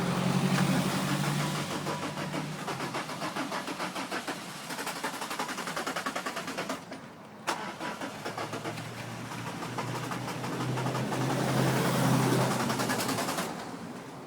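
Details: Peugeot 306 with XUD diesel engine, hard starting with smoke, timing suspected out: long cranking with steady rapid beats, a brief catch and stall, then rough labouring firing before it settles.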